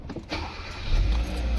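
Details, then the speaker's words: Kia Cerato after the electric power steering motor was removed, opened and refitted to cure a steering noise: engine starts and settles into a low steady hum with no whine, groan or clunk from the steering; now silent. "Start कर लिया है हमने। Car start कर ली है और ये देख सकते हैं कोई भी साउंड नहीं है। बिल्कुल फ्री है।"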